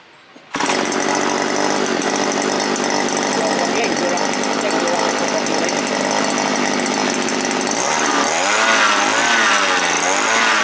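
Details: Small two-stroke earth auger engine after repair (owner suspected swollen fuel diaphragm; carburetor parts replaced with common sprayer parts), previously died when throttled; now fires up and revs cleanly at a high buzz without dying.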